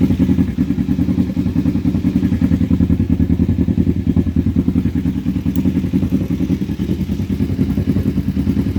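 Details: Kawasaki Vulcan 500 V-twin warmed up to temperature, idling in neutral and strapped to a table, with an oil leak: steady idle with a light fast ticking clatter, possibly valve train; otherwise runs pretty good.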